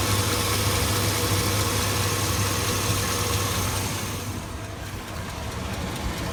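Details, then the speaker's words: 2002 Chevy Avalanche 5.3 L V8, check engine light on: fast even tick about 220/min over rough idle, louder lately, also at start-up, left side; owner suspects cracked exhaust manifold, possibly valve rollers; cause unconfirmed. "ever since that Ticky noise started this is what happened now service engine soon but it's not flashing but it's making the noise now that sounds like a manifold"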